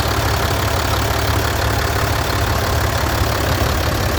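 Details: Mercedes-Benz 1620 truck with an electronic OM906 diesel, idling: a steady whirring chatter rides over the engine beat. It sounds like a bearing but is the accessory drive belt.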